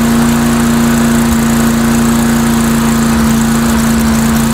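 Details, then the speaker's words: Mastercraft 3-in-1 mower with a replacement engine, old unit, RPM raised a little on test run: steady even drone with strong hum, no knocks or misses; runs fine, owner suspects carburetor maybe running slightly rich. "rather than the OD po off it's not running too bad I figure you know what what the heck it's an old unit that's um it's probably the carburetor maybe running to R you know"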